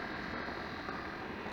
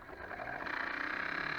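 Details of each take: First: Dishwasher after wash-pump repair, running about fifteen minutes and heating water: quiet steady whir, no knocking or grinding; earlier pump noise much reduced and tolerable, owner considers shimming the impeller so it doesn't rub. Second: Dishwasher after pump repair and reassembly, testing drain cycle with little water in it: steady raspy buzzing hum about four seconds then abrupt cutoff; pump sounds noisy.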